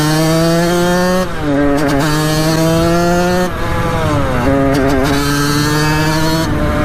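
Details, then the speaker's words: 1989 Kawasaki KX80 big bore two-stroke after jet replacement, revving hard through second gear around the yard; pitch climbs and drops at shifts, power band kicks in very soon or very late; owner suspects it may be running too lean, not yet fine-tuned. "but the power back kicks in very very soon or very late so that's the only problem we're having with them now"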